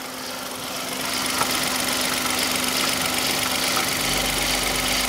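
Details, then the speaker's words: 2015 Hyundai i10 1.0L at idle with the belt removed: fast metallic chatter about four per second rides over a steady idle and has got worse; mechanical, owner suspects a stretched timing chain, unconfirmed. "yeah it's got worse actually when you first could hear it you you have sworn that was a belt so that noise now it does sound mechanical"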